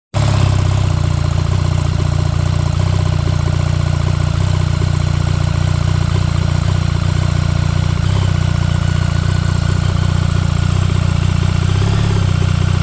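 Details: 2024 BMW R1300GS idling cold: heavy low drone with coarse grinding texture, sometimes persisting through first several minutes of riding and always disappearing at operating temperature; clutch failure suspected.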